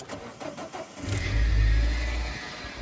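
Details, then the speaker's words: Engine not started in a while, cranks and catches with faint high squeal over idle for about a second; belt squeak on start-up, owner suspects water pump bearing (later alternator and pump replaced, squeak remained). "decided That is the water pump bearing making that noise."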